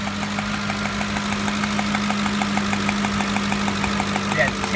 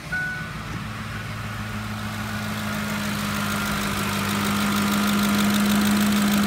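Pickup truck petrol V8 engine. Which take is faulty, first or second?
first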